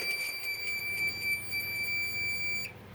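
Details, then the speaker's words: Fire alarm panel with Fire-Lite BG-12 pull station and Wheelock 7002T-24 horn, after reset: rapid shrill beeping, about four pulses a second over a steady high tone, then cut off; trouble signal from no batteries and unterminated zones. "yeah that sound does sound kind of funny let's acknowledge the trouble that's still in action"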